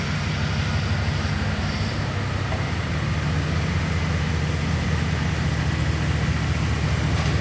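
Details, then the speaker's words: 2002 Chevrolet Silverado 2500HD after replacing the power steering pump with a new ACDelco unit; engine idling, even low rumble with no pump whine or groan, whereas the previous rebuilt pump sounded labored when turning and braking. "it sounds pretty good right now guys I don't I'm not hearing much anyway"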